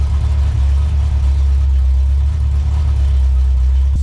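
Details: Lincoln Town Car (Panther) swapped to a Ford 460 big-block V8 with X-pipe and Dynomax Super Turbo mufflers: deep, even low idle rumble with no misses, knocks or ticks; idles smoothly.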